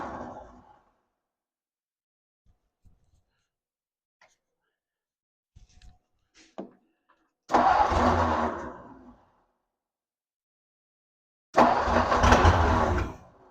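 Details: 1957 Ford Thunderbird barn find parked for about 60 years; carb bowls filled, accelerator pump seemingly not working, massive fuel leak from the carburetor. Two short cranking bursts that catch and sputter, then die each time: stumbling start.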